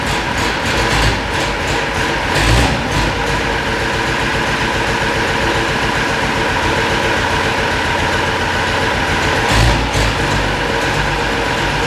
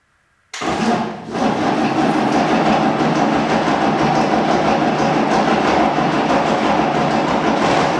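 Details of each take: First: Unimog 416 diesel after repriming the fuel system, lift pump suspected of not lifting fuel on its own, high idle held by pedal since the hand throttle is broken: steady even clatter with no misses or knocks; running cleanly. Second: Unimog 416 diesel saved from scrap, first start attempt: starter turns the engine at a steady even pace with one slight cough but no firing; cranks without starting, likely needs fuel.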